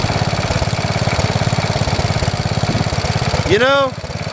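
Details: 1973 112 tractor after new points, coil, condenser and points readjustment: steady even chugging idle with regular low pulses, no misses or knocks; normal idle.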